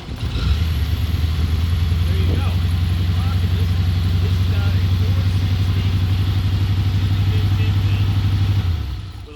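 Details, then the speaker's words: 1978 Lincoln Continental Mark V, about 100,000 miles, four-barrel carburetor: steady low idle rumble with a puffing pulse tracking the idle, from an exhaust leak. "I'm going to go ahead and start the car you're going to hear it run it's it runs it's got an exhaust leak"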